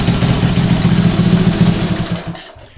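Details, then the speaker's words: Restored Honda C200 motorcycle after full rebuild: low, even thumping idle with a light mechanical clatter before dying away; runs smoothly, though carb may still need tuning. "I can leave a running long, she'll smoke me out. Yeah, very happy with that."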